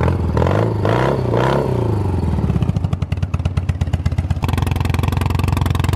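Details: Customized 1980 BMW R65 boxer twin with shorty exhaust, after a year-long rebuild including a custom-fabricated sleeve between seized bearings: after music, catches and settles into a steady, loud, even-firing idle with no knock or rattle. Runs healthy.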